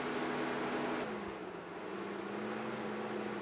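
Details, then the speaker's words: Mazda Tribute radiator cooling fan, ignition on, runs constantly then hunts and cuts in and out; rushing whoosh drops in speed as the motor slows, pulse-width modulator signal squeal audible; erratic fan operation, scan for codes pending, cause not confirmed. "so at the moment the fan is on constantly but if we wait long enough it'll cut in and out"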